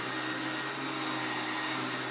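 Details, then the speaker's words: Old Electrolux Glider vacuum, heavily used, brush roll needing replacement, first power-up on floor setting 2; steady high airy whoosh with even motor drone, airflow and brush beating carpet audible, no rattles or pitch changes; normal running. "have alright, actually. Good. I can hear the airflow. I can hear it trying to beat the carpet."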